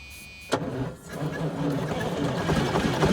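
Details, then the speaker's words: 1978 Chevy Bruin truck with 8V71 Detroit diesel, long unused, starting fluid used: starter engages, uneven rough pulses try to pick up but stay weak; fires briefly, won't keep running, owner suspects starter and batteries. "okay well first attempt was somewhat unsuccessful does want to run but uh I'm going to have to try to keep that starter tightened up"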